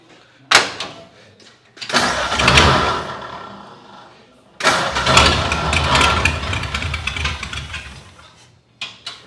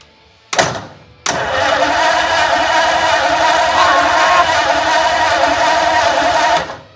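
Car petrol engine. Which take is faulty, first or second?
first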